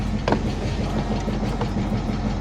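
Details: 1966 Ford Mustang idling after fresh fuel fed directly into the carburetor; fuel pump still not pumping. Steady, even low rumble with no knocks, misses or ticks; engine sounds settled and healthy.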